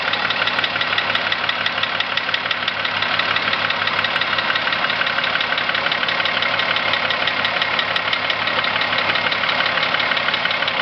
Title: corrado vr6 engine knock